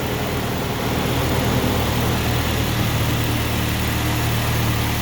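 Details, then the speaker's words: 2006 Ford Ranger 2.3 four-cylinder, just started on a battery swapped from another truck: even, steady idle with no knocks, misses or ticks, a smooth low hum; runs like a sewing machine, normal idle. "runs like a sewing machine"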